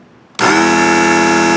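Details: Blue Hawk small air compressor after replacing fuse, cover off: motor snaps on and settles into a steady even hum, no knocks; compressor running normally after repair.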